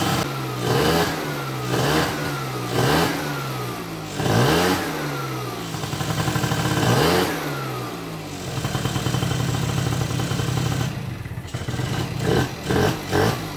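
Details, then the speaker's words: Bosozoku-project two-stroke scooter, first start after a long time unrun and carburetor rework, on fresh fuel: revs crisply in repeated blips, then settles to a steady idle; runs healthy though it cut out once and may need carb tinkering. "but doesn't that sound sweet how good does that sound that sounds so sweet"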